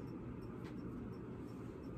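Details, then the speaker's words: Sears ceiling fan running: soft steady hum with a faint light tick about three times a second; noisy, possibly bearing noise, cause unclear. "i don't know if that's bearing noise i'm not sure what that is it sounds like there's might be some bearing"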